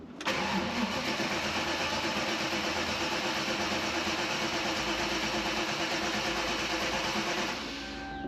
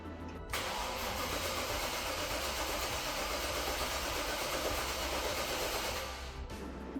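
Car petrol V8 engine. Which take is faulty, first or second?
second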